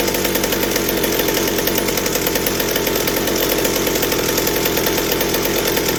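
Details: McCulloch 790 chainsaw frame with MC101 kart engine, new header and pipe, 3D-printed carb adaptor: steady flat-out scream held throughout with no four-stroking burble; carb works but can't supply enough on high speed, lean top end suspected.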